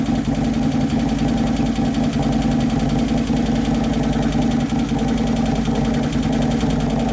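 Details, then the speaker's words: 2011 Harley-Davidson Road Glide (FLT) Twin Cam V-twin at idle after motor and primary repair, first heat cycle: idle rises and falls in a slow loping cycle, faint clatter from hydraulic lifters not yet pumped up; computer chasing lean mixture, O2 sensor possibly fitted wrong. "it sounds like it's kind of lean it's as possible for the computer to be lean like that"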